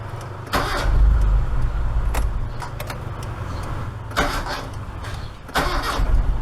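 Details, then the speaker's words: Proton Saga Iswara starter with badly worn brushes: sharp clicks with each key turn but no cranking; solenoid engages while the motor never spins the engine. Owner suspects the worn brushes and considers replacing the whole starter. "At least it's clicking though. It could be the brush, you know, the brush is like really worn."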